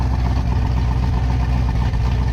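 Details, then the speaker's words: Camaro ZL1 V8, fresh and not yet broken in, still cold and below operating temperature, needing more tuning. Heavy low rumble at idle as the cam's uneven loping pulse starts to come through. Normal cammed V8 idle lope. "It's starting, you can hear the cam a little bit now. There we go. There's the cam."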